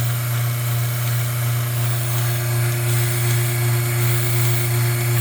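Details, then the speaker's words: Capralite Showman/Herdsman milking machine base under test, vacuum reading about 12, slightly high: steady low drone with soft, even tick of about two to three beats per second, felt by fingers; normal pulsator operation. "The important part of this right now is to show you how this is actually working. And you can hear that tick."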